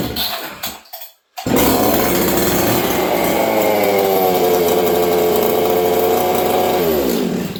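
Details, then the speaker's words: Husqvarna 266XP chainsaw, fairly high compression, about 60–65 cc, started at -40° in a cold shop: after a couple of pulls it fires and holds a high, thin, screaming rev that never burbles; running lean. "You hear how lean that is, friends? It's true."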